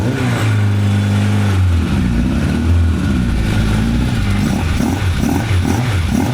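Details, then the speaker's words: 1985 Honda CB1100F inline-four, first start after 20 years in a barn, carbs cleaned and new gas; picks up cleanly and revs smoothly to about 9,500 rpm with a deep even exhaust, slight bog on first blip; runs healthy. "So, you just saw it run uh uh runs as it should, it sounds like."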